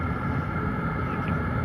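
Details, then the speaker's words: Two Chinese diesel heaters at full output at startup, heard outside from about 5 feet: steady low whoosh and soft even rumble, no knocks or surging; quiet, barely audible, smoke usual at startup. "Here's the sound. So it's not very loud. I'm standing about 5 feet away right now, and you"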